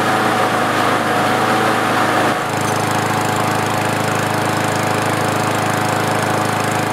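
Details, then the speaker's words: Kohler lawnmower engine after the RPM adjustment: it holds a steady, even high-speed drone with no surging, reading 3,189 RPM, up from 2,300. The fix was prying the governor spring plate up for more spring tension. "And here's my last reading. 3,189 RPMs. I'm going to leave it where it is."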